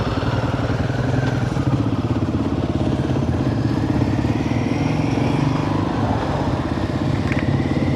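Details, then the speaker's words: Royal Enfield Himalayan 450 ridden in second gear after days of rain, APS failure warning shown: low, uneven chugging under acceleration over road and wind noise, bucking instead of pulling; rider says something's not right. "Is it still chugging? Yeah, it's like... Huh. Something's not right."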